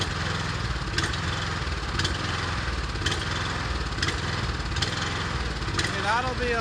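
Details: Ariens Rocket RT 8020 rototiller with a swapped-in genuine Honda GX390, test-run on a makeshift setup to check the gearbox and tines; the single-cylinder engine rises and falls about once a second instead of holding speed: surging.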